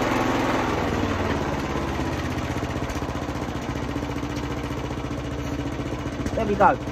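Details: Hayter mower, single-cylinder, after a surging fault was fixed by cleaning the small jet at the bottom of the carburetor float bowl: steady, even beat with no hunting or surging. Fuel delivery is now right.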